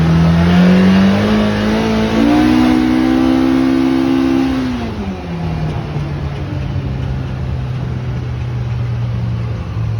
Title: Pro r loud noise